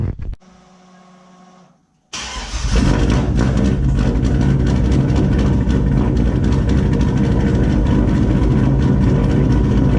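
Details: Turbo GMC truck, first start after a Turbonetics 78/75 BB turbo install, idling only with the intercooler cold side unhooked: brief crank, then a smooth, even idle with no whistle, rattle or knock; sounds normal and quiet, no oil leaks.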